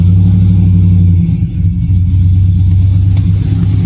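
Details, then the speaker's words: V8 truck with long-tube headers, first start after replacing exhaust manifold gaskets with OE parts: smooth deep even idle rumble, the earlier passenger-side exhaust tick gone; camera under the truck, in gear; exhaust leak fixed. "i can already tell right away that it's it's fixed it sounds so much better"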